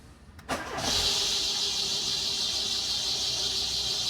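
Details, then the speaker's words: Peugeot 206 at start-up: loud, steady high-pitched squeal from the slipping accessory belt, which is jumping; a pulley is suspected, and the noise stops when the belt is treated with candle wax. "Muito forte o barulho. Deu uma diminuída agora. Correia já tá querendo pular aqui, ó."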